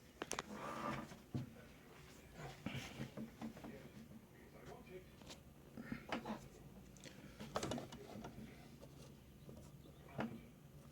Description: My singer heavy-duty sewing machine making noise and clicking almost sounds like its not catching when sewing.